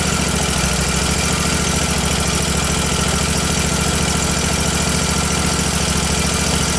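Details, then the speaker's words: Miller Trailblazer welder engine after fixing a loose fuel pump clamp: steady chugging with a thin, hollow, unsettled note; suspected lean running from a vacuum leak between carburetor or a fuel delivery issue, fine when choked. "I think it has a vacuum leak between the carburetor and the and the engine because it's just getting too much air you can see it's fine if I choke it down but then it there's just too much air there for the fuel"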